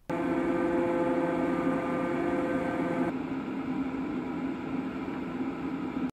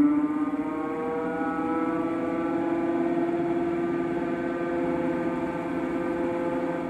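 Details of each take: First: Fantech FR100 radon mitigation inline fan after new motor bearings were fitted to fix a low grinding/whine, bench-tested wired to a plug before resealing: a steady, even motor hum with a clean tone and no grinding or rattle. This is a normal fan. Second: Fantech FR100 radon mitigation pump/fan developed a low grinding whine: a steady humming whine with layered tones over a rough undertone. The fan motor bearings are suspected to be worn and were later replaced.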